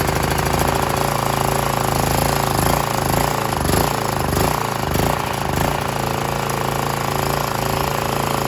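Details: Briggs 3.5 HP L-head engine off a Scag edger, after replacing the dried carburetor diaphragm, cold at about 40 degrees on choke, air filter off: loud, busy putter, slightly uneven but running steadily without misfires or stalling.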